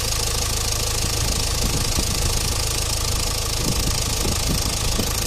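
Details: Renault Clio Estate 1.5 dCi diesel before hydrogen decarbonising, no warning lights or stored fault codes: idle with sharp irregular clacks, about a hundred a minute, over the rumble; suspected mechanical injector clatter, intermittent, unconfirmed.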